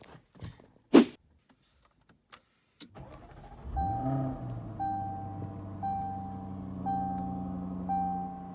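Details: Jaguar F-Type R after its battery died: a few quiet clicks, quick crank, engine catches at once and settles into steady idle under a repeating chime; starts normally.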